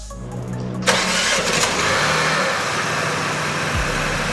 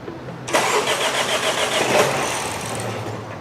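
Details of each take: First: 2024 BMW X1 (U11) after front-end collision, after resetting the tripped fuse relay module: starter catches within a second and the engine runs smooth and steady with no misses; back to life. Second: 2024 BMW X1 (U11) after serious front-end collision, battery reconnected: starter cranks at a quick even rhythm but engine never fires; no fuel reaching the front, crank no start.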